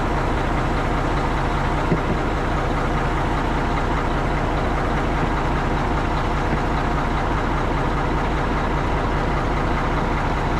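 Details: Tri-axle diesel dump truck after its dead-battery no-start was fixed: heavy diesel idling with a steady, even low rumble, no misses or knocks; normal idle.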